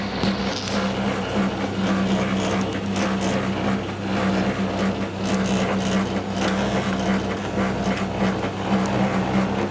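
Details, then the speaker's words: Tumble dryer bought August 2007, a few months old, running with door pushed in: loud continuous rumble with low steady hum and slow uneven surge about once a second; abnormal drum rumbling. "Do it again, push the door in. Oh, push it in. That's it. Noisy old tumbler."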